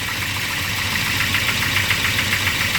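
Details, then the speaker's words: Volvo 240 just after the overdrive solenoid was refitted, engine running: a quick, steady, light ticking over an even idle, tracking engine speed. The owner is unsure whether it is lifter tick or piston slap. "listen to that freaking lift a tick or piston slap or whatever it is"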